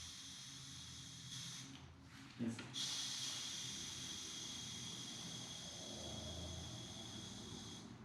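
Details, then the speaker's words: Polygon Siskiu D6 bike wheel (25 mm inner rim) being set up tubeless with compressed-air canister: steady high hiss of air leaking out during inflation, air escaping through spoke holes; later sealed after two days. "oh there seems to be a leak can I do this huh"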